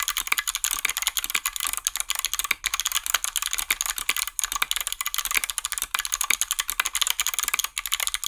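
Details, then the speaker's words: Hot-swap 60% mechanical keyboard with lubed stabilizers: quick, crisp, loud keystroke clacks with clean, even bottom-outs and no tinny rattle on the long keys; normal stabilizer operation. "nice and loud as expected this does cover the sound of the snare glasses but you can also hear that there was no rattle because I lived them"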